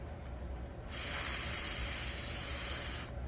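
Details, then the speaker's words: Generator with surging idle, carburetor removed: blowing through the passages with both pinched gives a steady airy hiss of about two seconds coming through the primary jet; air passage clear. "if you pinch both of these and you blow you should hear it coming through the primary jet inside the carburetor"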